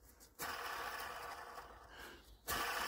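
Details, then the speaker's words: Iveco Daily camper van engine with belt off, pulley spun by hand: dry rasping whirr in two bursts, rough bearing noise; likely a worn fan belt idler pulley bearing. "But that, I think we need new fan belt idler."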